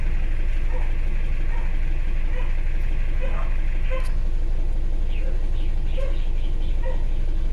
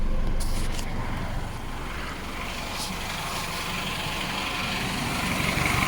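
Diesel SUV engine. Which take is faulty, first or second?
first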